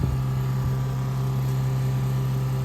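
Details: Electric fuel pump on a 1968 Plymouth Barracuda drag car, fed through a new Moroso fuel log return setup to an 850 carburetor, runs with a steady low hum and constant tone, holding just under 6.5 pressure; normal running.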